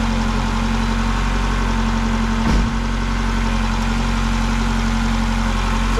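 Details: 2000 Ford Contour 2.0 after intake gasket and cracked vacuum line repair: smooth steady idle, no hiss or stumble.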